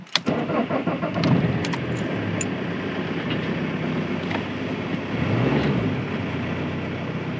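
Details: Vauxhall/Opel Insignia, older car, first start after a DIY starter motor replacement with the battery reconnected, clutch down and out of gear. A brief crank catches quickly and settles into an even, steady idle with no grinding or hesitation. The new starter works properly.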